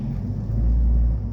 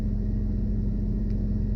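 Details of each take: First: 2001 Toyota Camry petrol idle: low rumble swells briefly then settles each time the brake is pressed or released, an erratic idle surge; timing belt, roller, pulley and bonnet fuses already replaced. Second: 2001 Toyota Camry idling after timing belt, roller and pulley replaced and under-bonnet fuses swapped to correct ratings to cure erratic RPM; low, steady, even rumble with no misses or surging.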